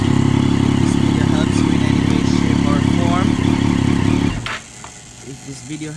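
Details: Triumph Daytona 675 after replacing the blown high-beam bulb and fuse: engine catches and runs with a steady, even beat of about four pulses a second before shutoff; healthy start and idle.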